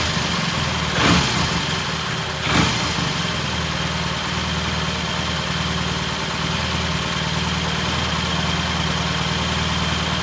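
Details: 1968 T100 vintage British twin, first start after a new battery was fitted: steady, even idle with a low thrum after two brief blips, no misses or knocks. Normal idle.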